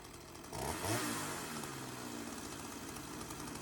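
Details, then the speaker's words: Sachs-Dolmar 100 two-stroke chainsaw, carb rebuilt and now being tuned after it would not idle down (owner suspected an air leak), blips then settles into a light, steady idle without dying; sounds healthy. "Let's uh fire her up and see if we can get her tuned"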